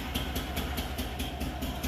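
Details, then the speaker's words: Isetta single-cylinder engine, just refitted and started: steady idle with a sharp pop on every beat, about five a second, over fan hum, from a small exhaust leak; owner thinks mixture slightly rich, some black smoke. "well my exhaust has got a little bit of a leak that's the pop pop is but I think the mixture might be a little Rich CAD rich but she's running good"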